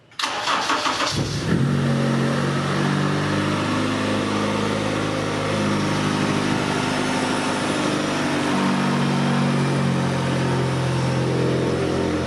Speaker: that seems real positive 20 yeah 1200 rpm and dropping a little bit it's it it seems like it's running pretty good